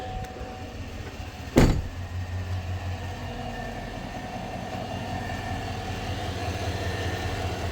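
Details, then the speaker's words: 2021 Chevrolet Silverado V8 idling: faint steady whine over the engine that grows higher and louder with revs; electric power steering and an alternator load test unchanged, traced to a worn idler pulley bearing, replaced with serpentine belt. "It does sound like it's coming from the engine. It does get higher or faster of a whine when you rev the engine up."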